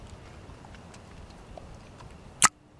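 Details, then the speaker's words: 2006 Toyota Tundra secondary air valve (codes P1441, P2440), replacement valve tested off the truck: a quiet hiss, then a sharp clunk as the poppet snaps back when vacuum is released, which is normal. "So that's the sound your valve should make when you release the vacuum."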